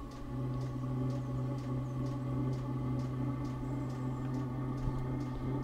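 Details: Chinese diesel heater with a 6-metre exhaust extension through a sand battery: low steady hum, faint whistle on top and fuel pump ticking about twice a second; exhaust whistling, running better after a suspected soot blockage, cause not confirmed.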